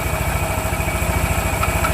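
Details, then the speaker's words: Yamaha NMAX scooter at idle with the CVT fully removed: quick regular light ticking, about a dozen a second, still present; noise judged inside the engine, exact cause not confirmed. "Seperti contoh di motor NMAX ini motor NMAX ini dia ada bunyi keletek-keletek."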